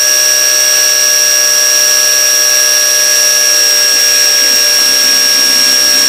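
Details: KAMOLEE mini pressure washer drawing water from a barrel up an initially empty hose, nozzle at zero: steady, even, unbroken high-pitched motor whine while priming, normal running.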